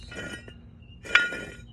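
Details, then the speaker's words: 1994 Sea-Doo GTX jet pump, removed, shaft turned by hand: gritty metallic grinding and clinking. The rubber end is gone and the impeller is to be replaced. "Anyway, but it's all that grinding right there. I don't know if that's regular or whatnot, but seems like something's."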